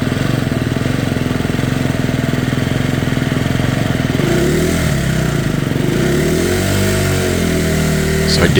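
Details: Fuel-injected single-cylinder dirt bike that repeatedly stalled on a desert ride. It runs with even low pulses, then stumbles and wavers as if dying. It dripped gas with the key on and the airbox filled with fuel, suggesting a flooding injector; the spark plug boot also had a hole.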